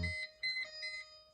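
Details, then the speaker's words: 2001 Mercedes G500 (Europa) no-crank condition in park; repeating short high electronic warning chime at key-start with no cranking, new symptom; battery voltage checked, owner suspects failed K40 relay, spare to be swapped. "on the mirror i get this when i try to start um which is new a little research uh last night i think it might be a k-40 relay problem"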